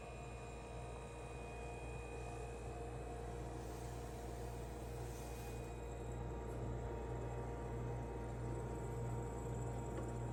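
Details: Ca'Lefort 15-inch dual zone wine cooler refrigerator, after install: constant low electrical buzz with steady hum underneath, no cycling, abnormally noisy while running, cause unclear.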